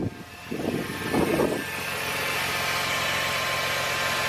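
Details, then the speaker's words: 2002 Chevy S-10 Xtreme after replacing idler pulley, tensioner and belt, heard from the cabin: after brief knocking, smooth even idle with no gurgly crusty sound, chirp or squeal; normal idle. "definitely sounds quieter I just hear engine noise in here now not so much a gurgly crusty sound"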